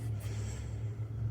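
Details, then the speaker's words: International Harvester Cub Loboy with a freshly rebuilt engine, PTO shaft left out: a short stretch of smooth, low, even rumble with no knocks or rattles, a healthy idle. "this thing sounds so cool just sitting here running be able to just hear the engine and not a bunch of crap rattling in that PTO shaft"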